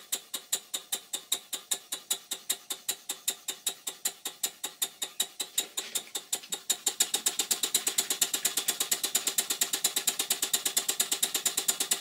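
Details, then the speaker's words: Stuart 5A model steam engine bought online, originally not working, running after crankshaft bearing top cap refitted; crisp even exhaust beats about five per second quickening to seven, light tinny clatter; worn, sloppy connecting rod small end in crosshead. "this is a shot of the small end of the connecting rod and as you can see it's very sloppy in the cross head but the engine runs"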